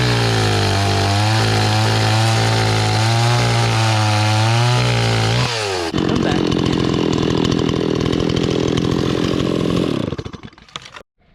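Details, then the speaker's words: Restored old Stihl 026 two-stroke chainsaw after carburetor cleaning, cutting wood with a rusty, dull chain: strong steady howl sags only slightly in the cut, then drops cleanly to a settled idle; oiling properly, runs healthy. "Okay, so this thing is actually pretty awesome. It's oiling it's oiling it properly. This chain's loosening up."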